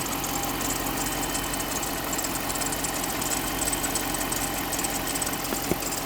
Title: 2011 Jeep Grand cherokee 5.7. whats making that squeaking noise?